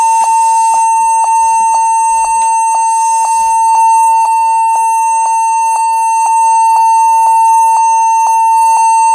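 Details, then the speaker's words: HP 14s-cf2 laptop at power-on: steady high beep repeating about twice a second, persisting after cleaning and reseating memory; fixed by setting BIOS to UEFI boot with GPT partition. "oke ya ternyata e masih bunyi ya masih bunyi panjang begitu"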